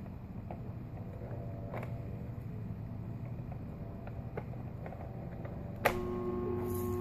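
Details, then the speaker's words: Home air conditioner outdoor unit, power restored at the breaker: click then steady electrical hum while fan and compressor try to move but cannot spin; bad dual run capacitor, fixed by replacement. "This means that the fan or the compressor can not work because it tries to move but it can not move"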